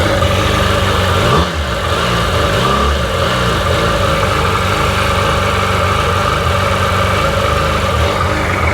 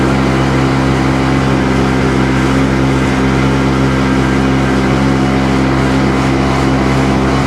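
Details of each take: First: Rebuilt Sea-Doo GTX DI 951 two-stroke, first run on the hose with cooling water connected, no driveshaft fitted; even steady idle with one brief throttle blip that settles right back; running smooth, no leaks; normal idle. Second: Rebuilt Sea-Doo GTX DI 951 two-stroke on the lake, fuel of unknown age; loud high-rev drone with uneven stumbling beat, skipping at 4200 rpm when RAVE valves open; top end good; owner suspects an odd, expanding RAVE hose.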